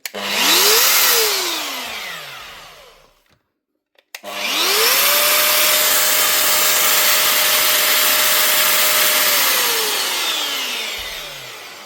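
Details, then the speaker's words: Metabo MFE 40 wall chaser, 1900 W corded motor, bench-tested after gear repair before blades refitted: two starts spinning up to a steady, smooth high whine, then winding down cleanly; motor and gears run healthy. "She's a nice powerful machine. What wattage was she? 1900 watt. She's not a small motor anyway."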